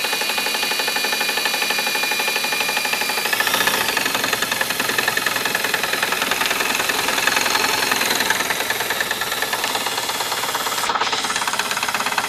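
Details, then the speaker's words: 1958 Gravely LI tractor magneto spun by a drill on the bench with poor ground: steady drill whine with fast crackling tick; magneto spark arcing, slightly orange-looking. "You hear that one arcing?"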